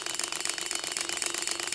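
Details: Six-cylinder Gatling Blaster Stirling engine after broken liner replacement, heated test run: light, quick, even ticking about twenty-five beats a second, no low rumble, running smoothly on its own; normal running.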